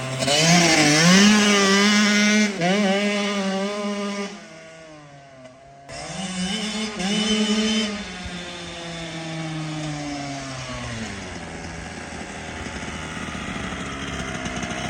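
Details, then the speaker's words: Kawasaki KX85 two-stroke after water pump and case seal and gasket replacement ended fluid leaks; crisp revs climbing and falling cleanly, settling to a light even burble, no rattles or misfires; smooth and strong. "It's nice and smooth now and it takes off. You're not taking it easy, or were you not expecting it to be that strong? Nah, I never take it easy."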